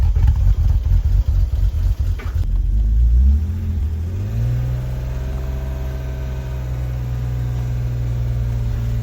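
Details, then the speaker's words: BMW E46 330i impound car, first start after sitting, very low on fuel: engine stumbles unevenly with lean backfire in the intake, then labours and drops pitch when put in gear; lean misfire from massive vacuum leaks. "Oh yeah, I can hear the lean fire, backfire in the intake. You hear that? That's a lean backfire in the intake, so massive vacuum leaks."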